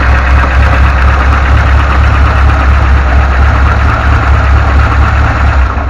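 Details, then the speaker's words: VAZ 2106 with a new knock near the timing chain: loud idle with a rough, uneven knock about twice a second from the front of the engine. "Всем привет появилась проблемка с машиной застучало что-то в районе цепи ГРМ"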